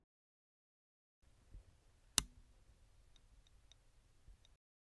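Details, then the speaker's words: Damaged hard disk switched on: a few faint ticks and one sharp click over near silence, with no spindle whir; the clicking is not the fault, and the spindle motor is suspected to have failed. "you will notice that the sound of the motor of the hard disk is missing so I suspect the motor in this hard disk has failed"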